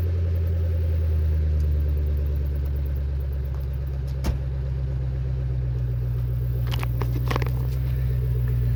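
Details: Crown Victoria (Panther) V8 after Magnaflow glasspacks and Speedmaster X-pipe replaced suitcase mufflers and H-pipe, stock resonators and tips kept; deep even burble, mellow low rumble, no rasp, leaks or rattles; healthy, fairly quiet exhaust.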